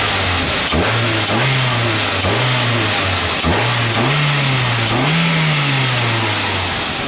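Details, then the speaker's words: Engine on its first start after removing the intake manifold runner flaps blamed for knocking and ticking, revved: quick, clean blips with no tapping or stumble. It revs freely and healthily, and the idle needed no adjustment. "now that sounds like a really nice running motor no more clanking and Ticking give it a little rev"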